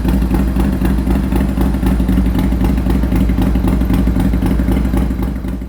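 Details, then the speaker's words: Harley-Davidson Sportster cafe racer after new exhaust, intake and rejetted carbs: loud, even, lumpy V-twin beat at idle, steady with no misses or knocks; engine starts and runs properly. "But let's fire up this bike, let's hear the new exhaust to make sure everything's working and running properly."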